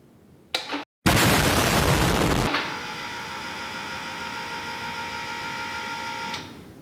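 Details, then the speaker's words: Rock buggy with an LS engine at ignition on, before first start: a click, then an even high whine for about four seconds that cuts off cleanly. Normal fuel pump prime. "All right, I don't know if you heard that, but that was the fuel pump running."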